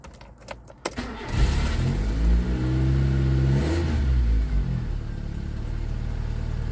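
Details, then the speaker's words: 1989 Nissan Sunny N13 with auto choke, cold start: catches, then deep raspy chuffing revs with a loud fruity burble; the exhaust is holed. "Yeah, you can hear that exhaust is not functioning correctly. Very fruity, yeah. Yeah, there's a hole in there, for sure."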